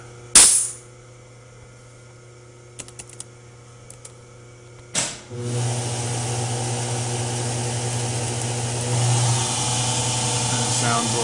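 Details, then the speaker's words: Acroloc CNC mill retrofitted to Mach 3, original Gettys spindle and speed control via VFD step/direction on C11 breakout board, speed ramped by input then switched to high range: light clicks, then steady even hum lifting slightly; normal running. "i can control the speeds based on input ramp up now we can change the high range"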